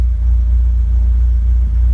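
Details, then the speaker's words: 1991 Nova GSi, original 1.6 8-valve, cold start after long storage and fresh fuel: smooth even low idle, no misses or knocks; earlier rough running blamed on old fuel; pump possibly sucking air. "sounding sweet as well sounded very nice i can hear the pump seems to be sucking air though oh wow that is running absolutely sweet"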